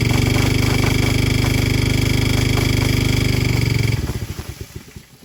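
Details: Old Briggs & Stratton 5 hp water pump engine with a new carburettor, started with some choke; small single fires evenly at a steady speed while pumping, then cuts out and slows to a stop: normal running under load.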